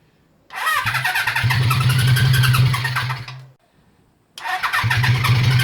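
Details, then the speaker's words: Honda CB350F four, first start after restoration with carbs untuned: it runs a few seconds with an uneven, lumpy beat, stalls and refires ragged, apparently not firing on all cylinders despite correct timing, spark and fuel; cause unconfirmed. "all right we're not running on all cylinders i don't think"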